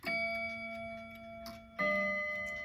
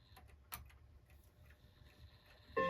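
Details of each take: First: Slow-running Seth Thomas mantel clock, after bending the hammer arms: chime notes ring with a clear, sustained tone and no deadening, showing the hammers are now properly adjusted. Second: Slow-running Seth Thomas mantel clock on its quarter-hour chime: notes die short and dull because each hammer hits its chime rod and stays pressed against it.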